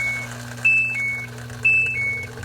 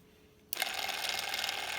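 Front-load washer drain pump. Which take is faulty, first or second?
second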